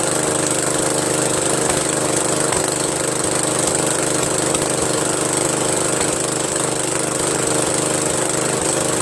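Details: Briggs & Stratton 13hp flathead single-cylinder on an MTD Cub Cadet lawn tractor, after carburetor replacement; smooth even running at steady speed, no misses or surging; healthy, owner pretty impressed.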